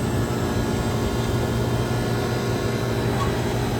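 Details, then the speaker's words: Masterbilt display freezer compressor after replacing both capacitors, the originals suspected zapped by a power surge; fired right up, steady even hum with a low drone, no clicking or labouring; normal compressor running. "which would make sense if we zapped the capacitor. Hey, look, she fired right up."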